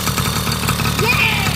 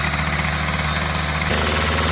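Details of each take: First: 1980 Honda Express II two-stroke scooter: quick, even putter with crisp exhaust rasp, steady settled idle; running normally. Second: 1980 Honda Express II two-stroke scooter: a fast, steady buzzing runaway idle that won't settle. No air leak found; the carburettor idle circuit is suspected.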